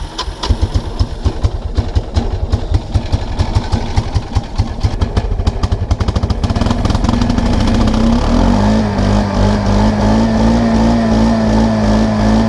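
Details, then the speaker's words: 1999 Kawasaki Prairie 300 ATV, single cylinder, on trail, literally full throttle: uneven thumping rising to strained flat drone that never picks up; bogging. "oh no no no no no no no no okay that's literally full throttle why"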